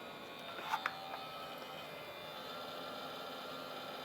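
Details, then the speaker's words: TiVo Roamio recorder on 12 V 2 A supply: steady quiet hum with faint tones after two clicks, from the small DC cooling fan; noise transmits through the case into the surface it sits on. "Sure, we can hear that humming, and that is coming from the little DC fan. That makes rather an annoying sound that transmits through the case and then onto the actual surface that it's sitting on."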